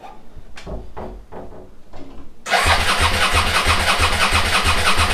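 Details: SV motorcycle under restoration, first start after carbs rebuilt and refitted, TPS set, regulator replaced, fresh fuel added: about four slow starter churns, long cranking while the empty float bowls refill, then the twin catches into a lumpy idle.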